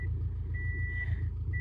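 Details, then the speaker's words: Subaru Forester boxer engine idling after rebuild with only headers, no exhaust: steady, even low thrum with regular soft pulses and nearby beeping; runs strong and healthy. "She sounds good. She sounds good. Nice and strong. So, we are about at idle now. This thing runs pretty good."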